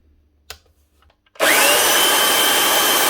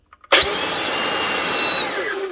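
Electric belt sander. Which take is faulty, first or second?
second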